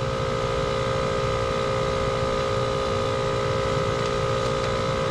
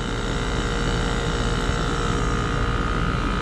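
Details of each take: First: Two-stage scroll gas pack with condenser fan off: steady, strained compressor drone with no fan whoosh while head pressure climbs from about 325 psi; the pressure switch is expected to open near 550–560 psi. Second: Two-stage scroll compressor in a gas pack on R410A, high side 254 psi and low side 102 psi, with the DC staging solenoid powered: a steady low hum with a faint constant tone, pumping hard and running normally; it quietens once the solenoid is unplugged.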